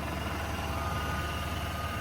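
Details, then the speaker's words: GMC Sonoma truck at first start after sitting: fires right up with no smoke and idles steadily, with no tapping, rattling or misfire; a slight whine is possibly an idler pulley. "That baby's smooth. It ain't rattling around. It ain't misfiring."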